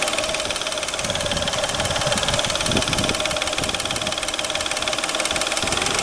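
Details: Peugeot 607 3.0 V6 at idle: a sharp, regular knock at close to four beats a second over the engine hum, from the timing belt (ГРМ) area at the front. Engine knock, cause not determined.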